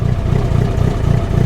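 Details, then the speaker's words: Classic Mini, first start after work in the shed: crisp, even revs with a steady low exhaust note, no misfire, stumble or knock; engine sounds healthy. "There we go. Awesome. How good does that sound?"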